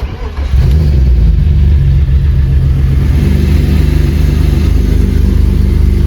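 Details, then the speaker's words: BMW E36 being prepared for drift competition, revved after fitting new, slightly wider exhaust manifold gaskets: a deep engine note rising with a ragged puffing chuff on the exhaust pulses; the manifold gasket still leaks. "Bon, résultat des courses, ça fuit toujours, génial."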